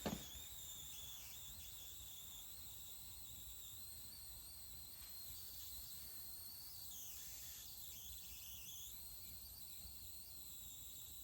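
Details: Newly acquired Tempest arcade cabinet powered on: thin steady high squeal over quiet hum with no game sound; squeal cause unknown, owner suspects sound amplifier chip or bad speaker for the missing sound.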